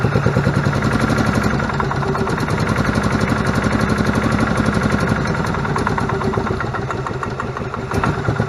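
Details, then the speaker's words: Club Car DS gas golf cart, unknown history, after new belts, filters and tune-up: small single runs unevenly with irregular lumpy beat about four a second, sluggish starting; carburetor suspected dirty, to be pulled and cleaned. "all right guys so it's alive I think we're going to have to pull the carb and clean it uh seems a little A little sluggish there trying to start"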